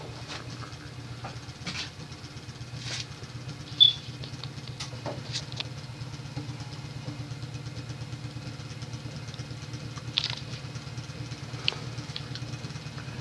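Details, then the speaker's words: Late-1970s Emerson 52-inch friction-drive ceiling fan on solid-state variable speed control: low hum with fast rhythmic patter and louder clunks as it speeds up; rubber drive wheel deformed from disuse causes running knock. "yeah the friction drive is loud as hell especially when the drive wheel has a deformity"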